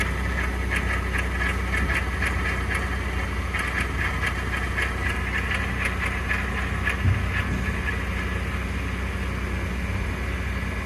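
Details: 2021 Ford F150 PowerBoost cold start at about 0°C: rough churning, cavitating grind under a low drone, persisting after the dealer replaced the flex plate and separator plate; cause unknown.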